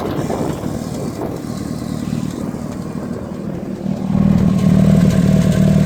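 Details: Mitsubishi Evo 8 turbo petrol: rough idle with an uneven, stumbling misfire beat. The owner checked vacuum and boost leaks and found them fine, and already changed the spark plugs. The cause is still unknown.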